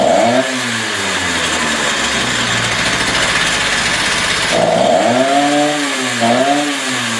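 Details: Stihl TS350 cut-off saw after engine rebuild and idle screw adjustment, air cleaner and filter not yet fitted; high scream picks up well but dips and sags briefly on a couple of blips, slight bog under throttle; carburetor further adjustment deferred.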